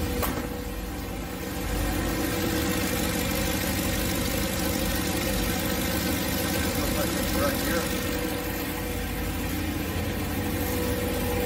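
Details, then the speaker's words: Boosted 408 LS with 100 lb/hr EV14 injectors, third start, coolant circulating at about 197–199°F, good oil pressure: steady even V8 idle, smooth unbroken exhaust note, no knocks or misses, no oil burning; healthy warm idle. "so pretty good tone sounds good we're not burning any oil so that's nice"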